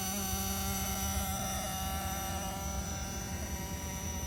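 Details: 1999 Oldsmobile Aurora with random flashing dash lights and a correlating steady electrical buzz with several fixed high tones humming evenly from under the dashboard.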